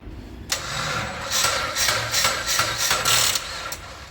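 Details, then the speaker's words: Mitsubishi ASX with a corroded battery reading about 10 V gives a weak, uneven crank pulsing about three times a second and never catches; battery discharged. "então Muito provavelmente é aquela bateria ali tá arriada eu vou pedir para ele dar partida lá só pra gente ver o barulho que vai fazer"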